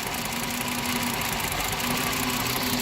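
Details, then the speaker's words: 2010 Volkswagen Jetta 2.5 litre CVT with new cylinder 3 coil and new NGK platinum plugs: idle with irregular stumble and faint knocking pulses; a secondary misfire persists during injector testing. "number three injector with the number three misfire and before it starts counting up number three stops misfire because now it's concentrating on the primary"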